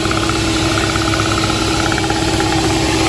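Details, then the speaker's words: 2014 Honda Ridgeline Sport 4x4 with hum, rumble and vibration while driving: steady drivetrain drone with a faint uneven rattle from a bad, non-serviceable rear driveshaft universal joint (rust around a cap), requiring driveshaft replacement. "You can kind of hear the drive shaft rattling a little bit."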